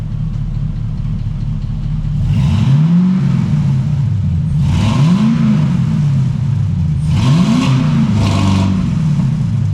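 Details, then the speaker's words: LS-swapped Trans Am after long storage, newly fitted exhaust and block-off plate, oil pressure up and earlier tick going away: deep V8 blips rising and falling three times over a steady burble, no ticking or rattles; healthy revving. "Sounds good, dude."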